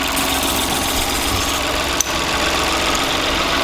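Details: Stellantis PureTech car with no brakes, after the brake vacuum pump clogged by disintegrated belt debris was cleaned and refitted with a new gasket. Steady, even idle with no knock or hiss and one brief click midway, while vacuum is checked. Normal idle.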